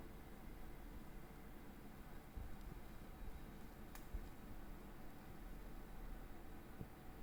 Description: After two weeks of use monitor started to make a clicking when its turned on. It dies down a bit after awhile but wont go away at any point.